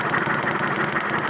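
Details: 2011 Kawasaki Vulcan 900 V-twin at idle: quick, even ticking knock, about ten a second, over a steady idle; the knock comes from behind the pulley cover, with valve cover and cam checked and no fault found.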